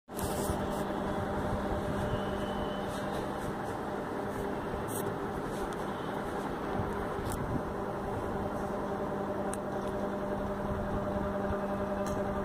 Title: USHA Chota Bheem noise issue, noisy fan